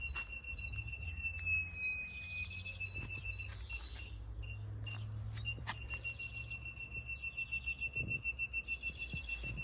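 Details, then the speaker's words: Newly installed reversing sensor system on a camper van, powered from the reverse light circuit, 4 sensors: steady high-pitched beeps about three a second over low engine rumble as it detects an obstacle in reverse. "Et donc là vous entendez déjà que elle détecte. Donc dès que j'ai mis la marche arrière avec le contact, voilà, on avance."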